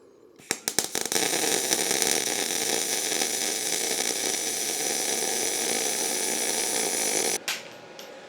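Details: MIG welding exhaust pipe with the welder turned up from 18 to 19: a few sputtering starts, then a smooth, even frying hiss for about six seconds, a well-set, steady arc.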